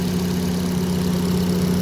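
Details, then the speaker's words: 2023 Kia Sportage after replacing the faulty intake camshaft variable valve timing gear, timing chain and tensioner: smooth, even idle with no cam or chain ticking or rattle; some hydraulic lifters not yet fully filled with oil. "Yun okay na talaga yung under nya. Wala na yung ingay sa variable."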